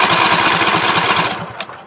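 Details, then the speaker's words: Free John Deere LA145 riding tractor being jump-started: fast, even starter cranking that never fires, then dies away; cranks but won't start; owner suspects no spark or fuel. "sounds like it's not getting any spark or fuel"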